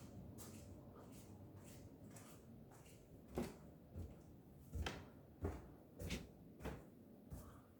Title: Horror bulkhead popping sound 3:30AM